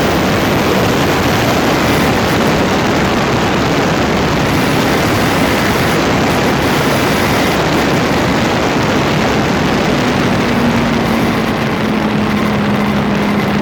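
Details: Land Rover Freelander 2, phone taped close to the front differential: constant rough, gritty roar with no clear rhythm while running; grinding noise around the front differential.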